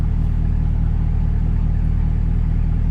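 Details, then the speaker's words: 2024 Cadillac CT5-V Blackwing, under 3,000 miles, with Corsa catback exhaust, idling with exhaust valves open: loud, throaty V8 with an even low burble and no ticks, knocks or misfires; no check engine light with valves open; normal healthy idle. "And the the valves are open as you can see. It's loud. It's it's loud."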